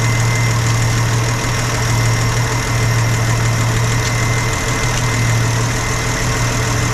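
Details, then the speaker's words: 1967 Chevrolet C30 truck after timing gear replacement, during valve adjustment, warming up toward temperature: steady even idle with light fast top-end tapping; normal valve clatter increasing as it warms. "Get a little noisy again. It's warming up, so they're gonna make a little more clack clack."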